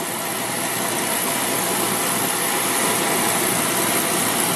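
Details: Beckett oil burner with Honeywell R7284U primary control, released from the CAD cell jumper and firing: steady, even roar of flame and blower, no pulsing, sputtering or rumble; normal burner operation.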